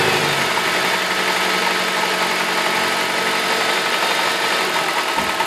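Engine idling with a hard, busy clatter sitting over the run; a knock is present at idle, cause unknown.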